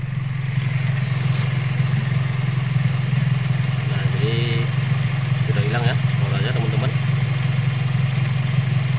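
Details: Toyota Vios G brought in for rough, strange engine noise, rechecked after repair with panels refitted and checked from below: steady, smooth low idle hum with no grinding or rattle from the belt-driven pulleys and AC compressor.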